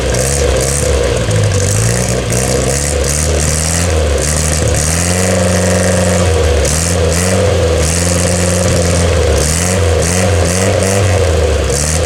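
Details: 1962 Austin-Healey Sprite Mk2 with the 948 cc engine, first start in over 40 years after sitting on blocks since the early 1980s: it revs cleanly through several blips and settles back to idle. Normal running and revving.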